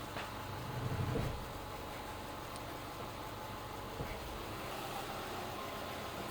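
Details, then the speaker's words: 2011 Subaru Impreza Outback Sport power steering pump after replacing the leaking O-ring on the upper feed hose from the reservoir: low, smooth idle while the wheel is turned, the earlier squeal/groan mostly gone, system dry and level steady. "hear that most of that uh the squeal I was making before is gone."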